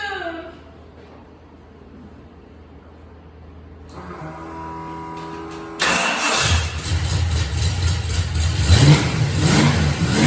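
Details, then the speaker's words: Ford Mustang Fox Body V8 after a seam repair: fires up and blips with a raspy puffing chuff rising with revs; leak actually from the rear exhaust, blown out on one side. "Been chasing the wrong thing the whole time. It was the rear exhaust. Blew the whole side out of it."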